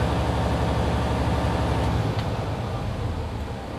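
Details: Truck during a pre-trip inspection, idling with revs held under 1500: steady, deep diesel rumble with no knocks while the air brake system builds pressure normally.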